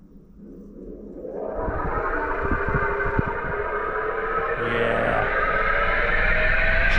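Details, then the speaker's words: Trane XV heat pump outdoor unit, outdoor fan test run from the control menu with thermostat off: condenser fan motor spins up with rising whine over rushing airflow, audible from porches; motor should be quiet, replaced. "it shouldn't sound like that I don't know how well you can hear that but she said she can hear this thing when she's on the back porch on the front porch but that motor should not whine like that it should be really really quiet"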